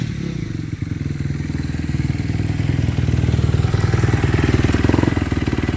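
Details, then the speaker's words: Kawasaki KX250F (stated as 2014 and 2017) after clutch replacement for fried clutches that stopped it moving in gear: even, steady thumping at a fast idle that climbs slightly and holds, no clatter or misses; fixed. "Well, that fixed it, guys. Quick and easy, and now we're good to go."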